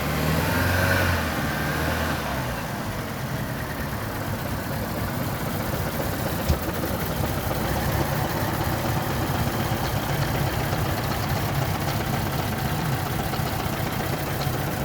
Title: Vauxhall zafira 2015 1.4t engine misfiring